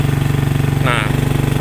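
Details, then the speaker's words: Manual motorcycle climbing a steep hill in 4th gear: slow, heavy, evenly spaced thumps with a deep strained drone that doesn't pick up; engine lugging and can't climb, 1st gear needed. "kedamaian terdengar suara mesinnya itu udah ngegerung banget Dan itu enggak bakal bisa naik guys posisi gigi 4 ini"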